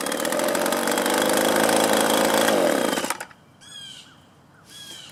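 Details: Echo leaf blower, a small two-stroke, after carburetor adjustment of the low and high screws and idle: a high steady buzzing drone for three seconds, then a clean shutoff. It now runs well.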